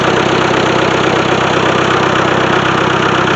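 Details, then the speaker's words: Ford-badged tractor power unit using Long tractor parts, running after a fuel leak at its air-warming fuel canister was worked on: steady diesel idle with an even beat around four per second, no misses or stumbles; it started up like it's supposed to. "but it started up like it's supposed to"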